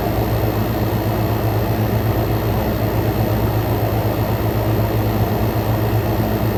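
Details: Frigidaire Gallery GHWQ103WC1 10,000 BTU inverter air conditioner, compressor at full power, heated then ambient intake air, about 44–46° out: steady low drone and smooth airflow rush, no knocks or rattles; normal compressor operation at full load.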